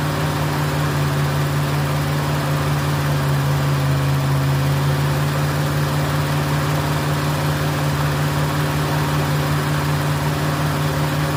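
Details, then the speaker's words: Ford Fairlane with newly fitted Holley 500 CFM carburetor (replacing a 350) and manual choke: engine holds a steady fast idle far above normal, because the throttle linkage is holding the throttle slightly open; linkage needs adjusting down. "Okay, I got to adjust the linkage. a little bit. It's holding the uh throttle open just a twit."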